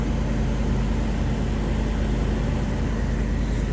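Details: One-owner, all-original 1991 Suburban 1500 with 50,504 original miles, starting on a new battery: steady, even low rumble, no knocks, misses or ticks; good oil pressure, normal smooth idle.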